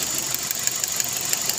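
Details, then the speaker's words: Engine idling with ignition coil number one disconnected to create a misfire: a thin, hissy idle with a regular tick-like pulse about six times a second, the engine shaking with no power; misfires can come from coils, spark plugs or injectors. "look at this ignition number one the engine is shaking there's no power ignition number"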